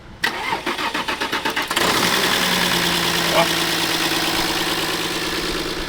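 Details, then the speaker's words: Used 4x4 bought in Germany, with the seller claiming the timing chain was replaced, on a start with the engine already warm: brief crank, clean catch and even idle with no chain rattle; the battery seems somewhat weak. "Et siis, kui sa korraks ta käima paned, siis juba saab pingutada asjad õli täis ja siis ei ole üldse probleemi, aga vaatame, kuulame nüüd."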